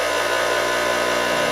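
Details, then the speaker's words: Replacement motor for a 1977 Craftsman 113-series table saw (original had burnt-out bearings), bench-tested on plug-in: steady, smooth electric hum with even tone, no rumble, rattle or bearing growl; runs healthy. "Now all we do is plug it in. Reset. All right, here we go. We got ourselves a motor."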